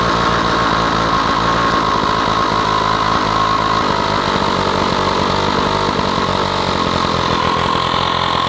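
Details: Stihl 045 AV chainsaw, first run after a new piston and rings, no clutch fitted: loud, steady two-stroke idle with an even buzz and no knocks or misses. Normal running.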